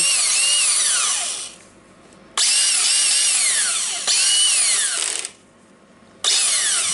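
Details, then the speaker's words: Makita DFR550 drywall screwdriver bought as faulty, after a light cleaning: high smooth motor whine in four clean bursts spinning up and coasting down evenly, no grinding, reverse working; motor runs normally, appears to be a working unit. "I can test it like that, and the reverse is working. So yeah, I believe it's a working unit."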